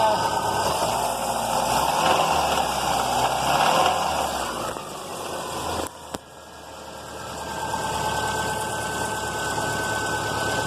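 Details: Subaru Outback with an EJ engine that ran low on oil, given gas to about 2,500 rpm: a rough, regular clunk or knock over the revving. Rod knock was suspected but doubted; the timing tensioner is suspected instead.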